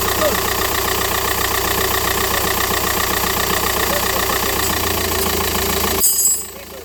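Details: 2009 SEAT Leon with a reported noise near the crankshaft pulley and an oil leak. After refitting the part, it starts and holds a smooth, even idle with a steady beat and no squeal or knock; normal idle.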